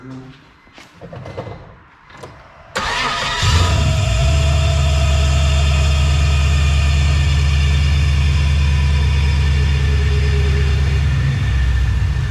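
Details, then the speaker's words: LS-swapped drift car (E46 or CTS-V), still cold before warm-up and thermostat bleed, after the ticking noise was cured: it catches and settles into a steady, deep, even idle with no ticking, running normally. "all right so now that the ticking noise is gone uh now we're gonna let it warm up let the thermostat open bleed it and test drive"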